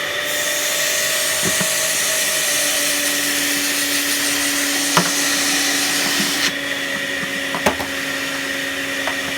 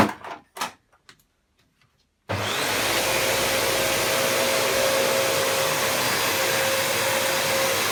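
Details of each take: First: Panasonic MC-UG304 2000 W upright vacuum cleaner, completely clogged: a constant high, strained motor whine with choked, thin airflow and little change in tone, the airway blocked; a washing machine runs in the background. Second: Panasonic MC-UG304 2000 W upright vacuum cleaner after disassembly and cleaning out the clog: after a few knocks it starts into a steady, even, high rushing roar with a clean motor tone and strong airflow, running normally.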